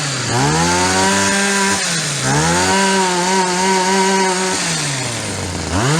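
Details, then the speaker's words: Yard-sale Shindaiwa single-sided two-stroke hedge trimmer, unused for a year or more. Crisp note revving cleanly and holding, dropping to a slightly fast idle, then picking up; runs fantastic, normal running. "Oh, she runs fantastic. What a deal."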